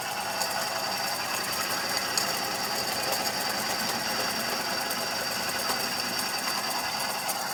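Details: 2012 Suzuki Celerio engine at idle: fast, fine tapping runs steadily over a thin engine hum, cause unknown; abnormal engine tapping noise.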